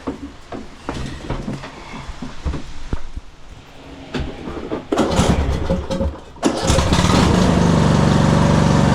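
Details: 2015 Craftsman T2200 tractor, 19 hp Briggs & Stratton, automatic transmission, test run in rain after blowing debris out of the transmission and reassembling: cranks, catches and settles to a steady, even idle. The fix worked; running perfectly.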